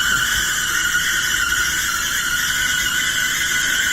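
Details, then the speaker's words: Whirlpool dryer running with a loud, steady high-pitched screech over the tumbling; suspected worn drum support rollers or a dry idler wheel, before replacing the four support wheels and lubricating the idler. "Today we have a dryer that is making a terrible screeching sound. Make it easy. That sounds terrible."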